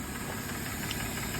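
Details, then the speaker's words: Mercedes E350 M272 V6 AWD, quiet at 900 rpm when started, then as it warms the idle drops to 600–700 and a dull rapid knocking rattle starts on the left side; an endoscope finds cylinder scoring in cylinder 6, piston slap. "Вот уже стуки начинают появляться. Вот обороты падают. Вот уже бряканье начинается. Все уже брякает, вот обороты у нас, ну еще не до конца прогрелось, 700 где-то 600."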